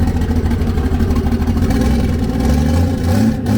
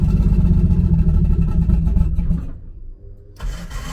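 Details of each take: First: Nissan S13 on E85, not started in a while: smooth idle about 700 to 800 rpm rising cleanly with a light throttle blip, no knocks or misses; fuel pressure, oil pressure and temps good; engine healthy. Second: Nissan S13 on E85, not started in a while, on jack stands: engine catches and revs roughly, nearly dies twice before picking up; hard cold start on E85, fuel pump heard priming.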